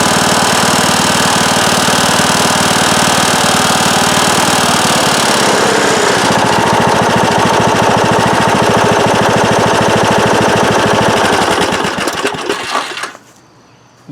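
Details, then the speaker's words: 2010-ish Craftsman mower, 19.5 hp Briggs & Stratton single-cylinder: fast, even tapping at high throttle rising with revs, not heard at low throttle; loose flywheel magnets, fixed by re-gluing. "You don't really hear it at low throttle, but when I put it back up, you do hear it."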